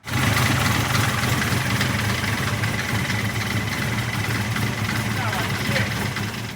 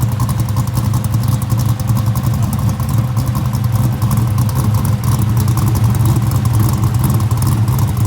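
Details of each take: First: Built V8 at a rough idle with light, fast ticking that keeps pace with engine speed. Owner suspects lifters even after replacing the lifters and cam, fitting longer pushrods and checking valve train geometry. Valve train ticking, cause unconfirmed. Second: Rebuilt engine in a '65 that had a lifter-like valvetrain noise, now fixed after new lifters, new cam and longer pushrods. Heard from the front, it has a smooth, steady, quiet low idle with no ticking or clatter: normal idle.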